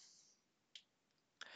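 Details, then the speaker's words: Xbox One S with horizontal banding, purple streaks and missing resolutions: sharp isolated clicks, two in under two seconds, over near silence, heard through the speakers over HDMI; clicking stops when the output drops back to 480p. "If you can hear that clicking, that's coming out through the speakers. So that clicking's coming out through the speakers."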